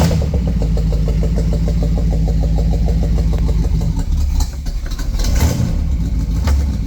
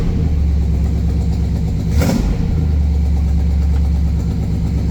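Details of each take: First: Buick 455 V8 freshly started in park: slow, lumpy, heavy idle close to stalling; idle speed set too low, throttle very responsive, idle screw to be adjusted. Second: Buick 455 V8 running again after self-destructing, idle screw adjusted, oil pressure near 80: deep, even burble with steady low rumble, no knocks or misses, one brief blip. Sounds way healthier, no smoke; normal idle.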